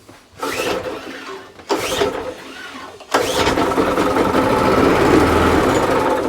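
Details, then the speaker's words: Old Mountfield Empress lawn mower, bought with no oil, pulled over after oil was added and before any petrol: three cord pulls, each with firm rhythmic chuffing and no free spin. Compression is normal; the engine is relatively healthy. "There you go. That tells me we got an engine that's relatively healthy."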